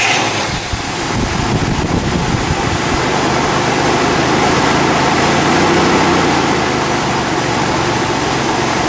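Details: 1964 Buick LeSabre Estate Wagon with 425 CI Nailhead V8 and single exhaust; settles into a steady, even idle with a full low rumble and no knocks or misses, sounding healthy.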